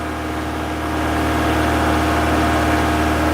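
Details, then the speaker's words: Toyota MR2, 40 years old, just after a cold start: steady engine hum, a bit quick and slowly building in volume with an even beat; she's firing but idling a bit high. "There she is. She's firing a bit, she's idling a bit high at the moment."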